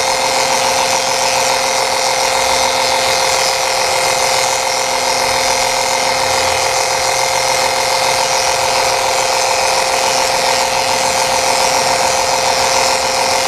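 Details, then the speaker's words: Electric transfer pump refilling transmission fluid in a 1990 Honda CRX transmission: steady whirring motor hum with even, unchanging pitch as fluid moves; pump running smoothly under load. "Okay, so I set it all up, and now I'm gonna turn it on. I'm gonna start pumping in and see how this is gonna work."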